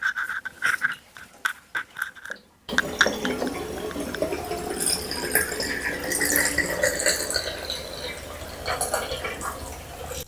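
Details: Bathtub drain after clearing the clog and reassembling the drain: steady rushing and gurgling of water going down freely with no slowing or backing up; draining properly.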